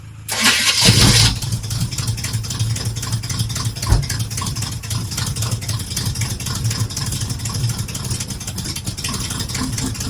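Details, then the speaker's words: Squarebody Chevy truck started on starting fluid: fires with a loud burst, then runs rough and uneven at idle before dying; sounds like it runs on the starting fluid rather than fuel, suspected, not confirmed. "Oh! Died on me."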